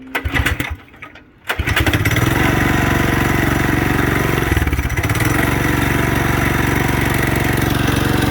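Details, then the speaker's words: Budget mini bike single-cylinder engine, low compression, with new exhaust pipe; catches after brief crank into loud slightly uneven putter about four pulses a second; rough running. "it's still a really lacking compression she's gonna fire oh she's burning"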